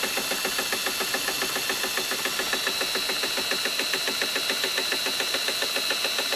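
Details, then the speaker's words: 1958 Gravely L tractor magneto spun by a drill on the bench during a spark test with a poor ground; crisp, even snaps about three or four a second over the steady drill whine. The magneto spark is arcing, looking slightly orange. "So, run her with the drill and see what she does here. You hear that one arcing?"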